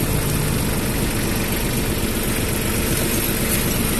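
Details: Mitsubishi MT221 diesel tractor: low, even diesel rumble holding a steady idle with no knocks, misses or rattles; a healthy tractor engine.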